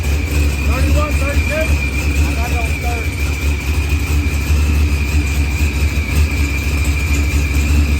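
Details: Dodge Challenger with supercharged LS swap and zoomie headers, after blown head gasket and fuel pressure sensor fixed, firmware V6 220, timing 27° (target 28°), idle leaned: deep even idle with faint supercharger whine, no misses or knocks; runs good.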